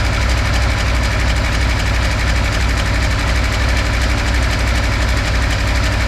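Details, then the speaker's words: V8 with a backfiring issue, just reassembled after a compression test: lumpy, uneven idle with a heavy off-beat thump about three times a second, suggesting one cylinder misfiring and popping. Rough running and backfiring persist; cause suspected, not confirmed. "The issue's still there, not surprising."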